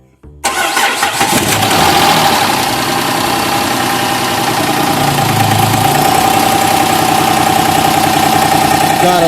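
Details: Chrysler 300 3.5L after ignition coil and spark plug replacement: quick crank, catches at once, steady even idle with faint whine; starts and runs clean, though oil on plugs means valve seals need replacing.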